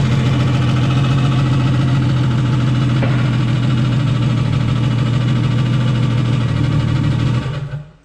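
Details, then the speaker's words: Nissan Skyline with rebuilt engine just installed, first start attempts: steady low drone with uneven lumpy beat for several seconds, then it dies; odd noise from underneath, dies when touched; rough running, cause unknown. "That sounds odd. Sounds like it's coming. That sounds odd down there."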